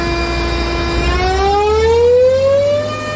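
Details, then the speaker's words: Airport air start unit throttled up to raise pressure for Airbus engine start: loud steady tone sweeping smoothly upward in pitch, normal spool-up without roughness. "Nah, ntar digas sama dia. Seperti ini suaranya."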